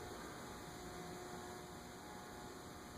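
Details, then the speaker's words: Dayton industrial/commercial ceiling fan model 5NPZ5 on a solid-state speed control: steady thin electrical buzz over soft air hiss, quite buzzy, fails the fluorescent light test; motor buzz caused by the solid-state control. "quite Buzzy it does not pass the fluorescent light test"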